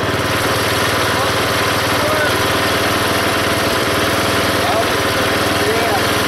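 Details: Belt-driven log splitter small engine after fitting a homemade spring-tensioned idler arm and pulley to stop the belt flying off: steady drone holding speed while splitting a log, no belt squeal; hardly any slipping on pulley or belt.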